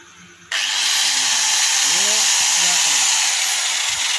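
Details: DW 801 angle grinder after repair of a noise/not-running problem: motor spins up to a steady, even high whine with no rattle, scraping or grinding; runs normally (faulty field coil or armature can cause noise).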